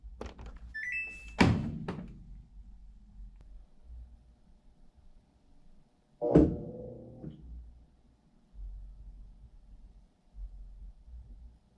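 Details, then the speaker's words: Samsung top-load washer on rinse and spin, stuck in sense mode: a clunk, then a brief rising spin attempt after sensing the load, then a thunk as the clutch opens and it stays there, never spinning; fixed by replacing the motor position (TMR) sensor on the clutch assembly. "so what's happening is as soon as it's sensing the load before it adds water on the rinse it senses first and then as the second time you can hear where it starts to spin and then just opens up the clutch and then just stays right there"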